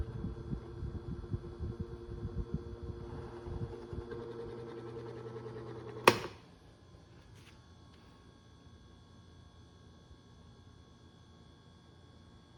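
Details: 2002 Cool Breeze 12-inch oscillating desk fan after 20 years of heavy use: steady whir with thin high squeal over motor hum, stopping when switched off; motor bearings completely shot.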